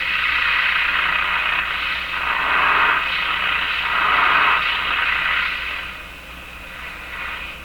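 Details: Viking Model 54-51 AM radio after full alignment, listening test: loud hiss and static swelling and fading for several seconds with no clear station coming through; reception is poor.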